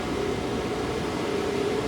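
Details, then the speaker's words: Antminer starting up after its 3,000 RPM fans were replaced with quieter 6,000 RPM fans, recorded on an iPhone mic right beside it: an even airy whoosh and faint hum as the fans ramp up and the status turns green. Normal fan spin-up. "and then it'll go into full mode. There it goes. I hear it starting to ramp up a little bit, and it switched to green."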